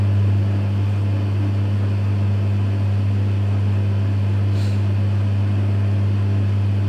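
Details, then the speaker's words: Electrolux EWF 16589 W washing machine on 60 cotton cycle, after noisy-bearing spin: drain pump humming steadily and running continuously, sounding very unhealthy, keeps pumping out water; cause unknown. "pump sounds very unhealthy. Now it keeps putting out more water."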